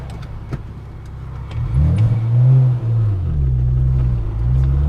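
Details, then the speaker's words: BMW on a test drive after fitting replacement rear knuckle assemblies, one hard pull in second gear: the engine note climbs, briefly stutters and dips mid-pull, then picks back up; an existing stumble under load, cause unknown. "up see did a little stutter step thing that isn't new it's something it's been doing so it's not like I'm like oh my God how did it do that"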